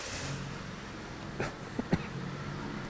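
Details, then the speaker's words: 2007 Dodge Caliber, non-MAF engine, intake tube off, two replacement PCMs fitted: uneven lumpy idle with sharp knocks and heavy vibration, no throttle control. "can probably hear and see it is not running well at all you can see how much it's vibrating"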